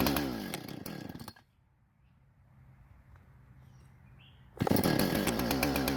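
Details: Husqvarna professional-grade chainsaw after fuel-leak repair and a modified air filter refit, test cuts: crisp revving bursts picking up cleanly from idle with no stumble or bog; runs great, no carb adjustment needed.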